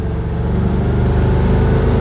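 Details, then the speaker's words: Ford F250 V8 with two-barrel carburetor and Flowmaster exhaust, hard throttle in third gear up a pretty good incline, later shifted to fourth around 60 mph: strong, even pull with smooth low growl, no pinging or misfire; good power, normal acceleration under load. "truck moves out nice it's got a good power but you know it's not a rocket ship or nothing"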